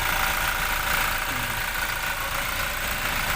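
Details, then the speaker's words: 2017 Toyota Fortuner diesel after alternator bearing replacement: steady even idle clatter with no whine; noise gone, engine healthy. "Yun oh Wala ng tunog oh pinalitan lang yung mga bearing Okay na siya"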